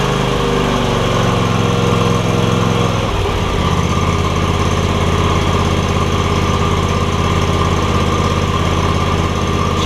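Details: John Deere X300 mower with no spark and a suspected bad control module; a black wire was pulled to bypass it. Starter cranks about three seconds, then the engine catches cleanly and settles into a steady, even idle: normal idle.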